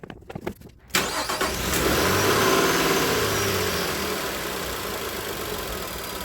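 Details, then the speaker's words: Engine idling hot (209–210°F) after a second diesel oil-flush and fresh 5W30, with an oil consumption problem; slightly loping, rhythmic idle attributed to fuel trims readjusting, check light on and smoky; lumpy idle. "You can hear it loping a little bit, but that's slightly because of the fuel trims trying to make the accommodations because it doesn't see that diesel anymore."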